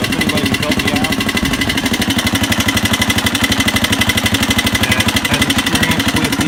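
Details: 1985 Honda XR200R four-valve single, which also smokes and needs new rings: sharp, even tapping of about four a second while running. Teardown found pitted, wavy camshaft and rocker arms, presumed from lack of oil. Valvetrain ticking.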